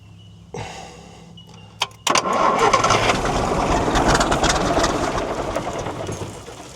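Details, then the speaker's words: 1973 Volvo G89 truck, TD120 diesel rated 320 hp, 24 V starting, sat 4 years: cranks, catches and settles into an uneven lumpy idle that hunts; rough idle, owner suspects air in the fuel or idle set low. "It's obviously, it's either a bit of air or the idle's a bit low."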